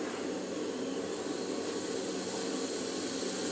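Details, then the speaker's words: Land Rover 200 TDI transfer case, front cover off, pressurised with air for leak testing: steady thin hiss with no rhythm escaping from the high/low diff lock switch, flanges fine; air leak at diff lock switch. "there's a leak coming out of the high low uh the diff lock switch nothing coming out there nothing coming out flanges excellent but that is terrible"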